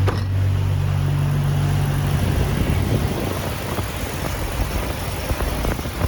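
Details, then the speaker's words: Jeep Wrangler TJ 4.0 inline-six after an alternator replacement and belt retensioning: it starts and settles into a steady, even low idle with no knocks, whine or misses. Normal idle. "all right once it's all installed we'll go ahead and start it up make sure the voltage is good"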